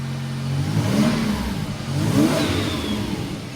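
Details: Toyota Prado with turbo 5VZ engine and Haltech management, after an overnight rebuild for two bent conrods that caused a bottom-end noise: revs cleanly up and down twice with no knock or tapping; sounds healthy.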